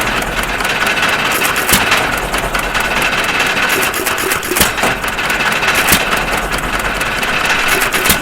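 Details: 1.5 HP Stover CT1 hit-and-miss engine after magneto and timing adjustments: sharp single firing pops a second or more apart with coasting between, mostly misses; firing and governing normally.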